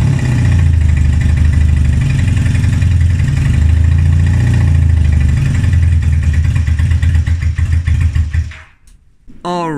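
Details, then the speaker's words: 1978 Honda CB250 Twin: picks up and drops revs in repeated blips without falling flat or sputtering as before, then cuts off; runs but idle and CV carbs still need tuning. "before this it didn't even want to start and when I hit the trolley would just like fall flat on its face you will hear it like sputtering but now I'm able to get it from revs"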